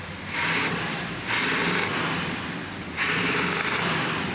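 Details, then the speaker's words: 1974 Corvette Stingray V8, long sitting, revved in short blips: rough running with ragged popping back through the carburetor, as worn camshaft lobes keep exhaust valves from opening; camshaft and lifters to be replaced. "hear that popping that that tells me that there's maybe a couple of loes worn out on the cam shaft when the exhaust valve is not opening all that exhaust gas has to go somewhere so it gets pop back up through the carburetor when the intake valve is open"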